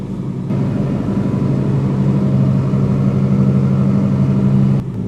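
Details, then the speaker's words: Freshly rebuilt engine, first start after priming, AC refitted; catches at once into a smooth, steady idle hum with no stumble or ticking, then shuts off; normal idle. "Sounds healthy, dude. Look at that. So now we got our first start on this thing. That was smooth."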